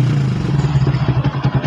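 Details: Sniper 150 motorcycle after replacing the failed stock TPS with an aftermarket 4S1M unit, which had caused fuel-starved running: small single revs with quick, eager pickup and evenly pulsing exhaust, no hesitation or stumble; healthy throttle response.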